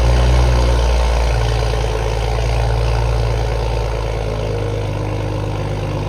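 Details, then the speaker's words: Toyota Supra cold start right after a new downpipe was installed: loud deep exhaust drone at raised cold idle, steady and even, easing as it settles, much louder than the earlier cold start; healthy. "Okay, right off bat, much louder cold start. I don't know if y'all could pick up the difference between the quick cold start I did earlier and that one, much louder."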